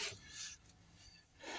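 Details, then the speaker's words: Patrick 6 kg washer, drum rubbing against the tub with dry rasping scrapes as it turns; play in the drum, oval-worn tub, worn bushings, needs spider, seal and bearing replacement. "tenemos el techo ovalado que toca Bueno cuando empezamos con ruido"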